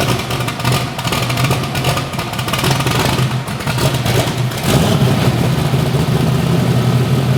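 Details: Bibbster hot rod V8 idling and revving, first fire-up after finishing the cooling system. The tune was richened to cure a slight idle surge and now runs fat; the cold-start setup may need changing. Deep, lumpy burble rises cleanly with each blip and settles steadily: normal.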